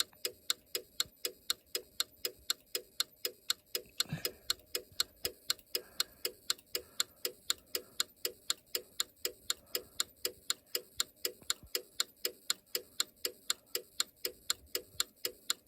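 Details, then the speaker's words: Simplex 4010 fire alarm control panel reset: crisp, perfectly even ticking at two per second in a quiet room as the panel slowly works through its normal reset, which takes a long time. "I'm going to reset this. This one thing I don't like about this controller, the one thing is that it takes forever to reset."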